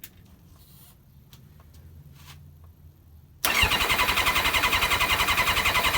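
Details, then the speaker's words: Kawasaki ZX-7R inline-four cold start after cleaning the carbs for a faltering idle circuit: catches cleanly into an even, steady idle with no misses, much better than before; idle screw now works, debris in idle circuit suspected. "definitely ticking off a lot better than it was uh the last time we started it"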